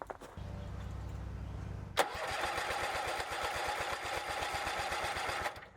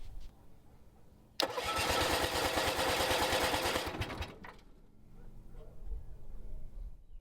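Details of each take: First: Bolens QT17 single-cylinder tractor, sat for years, first start after oil change, breaker points set, new carburetor gasket and air element: quiet two-second crank, fires into fast even putter about four beats a second; starts normally, then smokes white. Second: Bolens QT17 tractor engine after sitting for years, oil changed, points set, new plugs: starter cranks steadily about three turns a second, twice for a few seconds, even with starting fluid, never catches; carburetor suspected.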